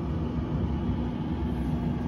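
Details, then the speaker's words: Whirlpool Cabrio WTW7300DW0 dryer built December 2014, restarted after a door-switch test: low even drum rumble, no squeal, scrape or thump; normal operation after repair. "and yeah so yeah you guys can basically see everything works on this dryer and uh yeah everything works"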